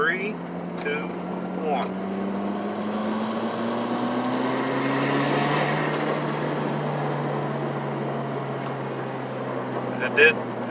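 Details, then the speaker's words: Turbo car with new mechanical boost controller plumbed from throttle body to wastegate, during a test pull in gear: note climbs slowly, then flattens and sags midway, bogging; driver suspects insufficient fuel. "bog down i don't have the fuel don't seem like it i'll turn around and do it again downhill"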